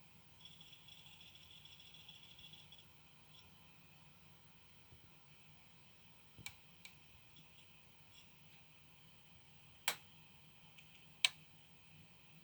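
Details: Quiet PlayStation 4 Slim console hum with a few sharp, irregular clicks, noticed after about two weeks of ownership; owner wonders if it is the hard drive, cause unclear.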